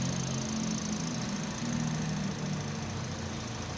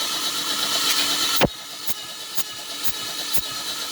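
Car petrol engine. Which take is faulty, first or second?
second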